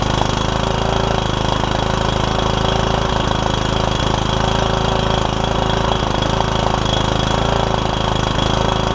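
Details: Troy Bilt Super Bronco lawn tractor with a Kohler Courage engine and a cracked block, first start after a battery and fuel were added and the hood removed. The single cylinder chugs unevenly at fast idle; running rough, owner thinks it needs carb work.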